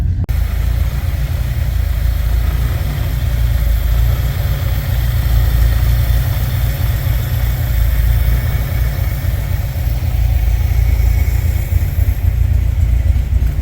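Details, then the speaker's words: 1964 Ford Thunderbird after freeing stuck valves and a top-end rebuild clearing sludge that had sent oil onto the valve guide seals: it no longer smokes and idles smoothly with an even low rumble. "and now that that gun's cleared out she runs and idle smooth"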